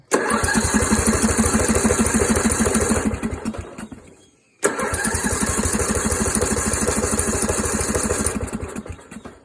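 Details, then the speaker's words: Yard Machines engine pulled from a scrapyard: two bursts of steady starter cranking, about three a second, with no firing. A starter whose gear wasn't engaging had been replaced; owner suspects a broken flywheel key or valve adjustment. Cranks but won't start. "who what was that all about so it doesn't want to start now"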